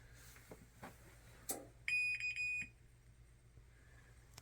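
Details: Kore Smart Heat series dryer: internal control relays click after pressing Start, then three or four shrill beeps for error code F01, indicating a faulty or open thermistor; the control board is no longer available.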